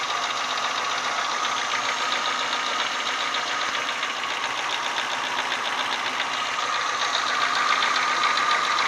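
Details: Renault Symbol 1.4 8-valve engine at warm idle; regular light knock about four per second over the engine, present only when hot, absent when cold, source not yet identified: engine knock when hot.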